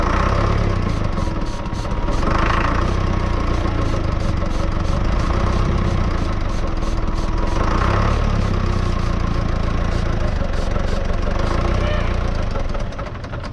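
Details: Lull Highlander 844 telehandler diesel, supposedly last run about 3 years ago, cranked with starting fluid after priming: long labored uneven churning, then catches and settles into a low, rough run, blowing out water; hard start after storage.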